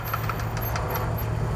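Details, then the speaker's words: Buick LeSabre in slow full-lock turns with light brake and throttle for load: low engine rumble with repeated knocking clicks from a worn left outer CV joint. "that knocking or clunking sound that you hear is coming out at the left outer CV joint"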